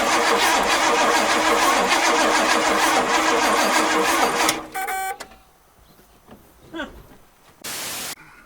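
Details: 1969 Oldsmobile Ninety-Eight with a 455 big-block V8, sitting 26 years. The starter cranks it in a steady rhythmic churn for several seconds, but it never fires; a coil bench test shows no spark. Crank, no start.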